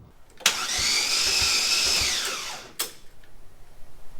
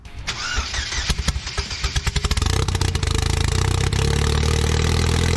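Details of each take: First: LSJ-T engine reinstalled in Cobalt-based car, briefly ran then died: starter whirs at high even pitch for two seconds without catching; cam timing suspected lost. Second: Replacement used Cobalt LSJ-T engine in a car called the Goblin, after a swap and a fix using a salvaged gear: quick crank, firm catch, strong steady idle with no knocks, very high oil pressure. Normal idle.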